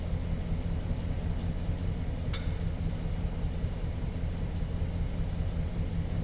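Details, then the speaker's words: 2007 GMC Sierra idling with a deep, slightly uneven lumpy rumble; the misfire remains after new plugs, swapping the number four coil to position two and trying the wires; a cylinder four misfire may be misattributed by the ECM to cylinder three. "so we still have our misfire I've done the plugs I've swapped the number four coil to position two and I tried the wires as well so this is a misfire"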